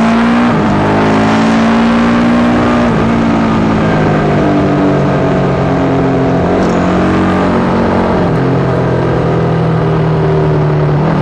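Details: Yamaha YZ450 single in a supermono race bike pulling through the gears: occasional hesitations and uneven firing, an intermittent misfire that worsens after a couple of laps and persists despite changing carb settings, fuel tank, filter, breathers, ignition, coil and generator.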